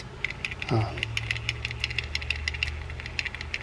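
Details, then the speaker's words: Fishing reel in for shop service, cranked by hand: light, fairly even ticking, sharper than normal gear hum, with more click than it should have. Cause not found yet; the servicer thinks a spool adjustment may cure it. "a little bit of some noise there that may be taken care of just by adjusting the spool you know we have a we have more of a click going than that"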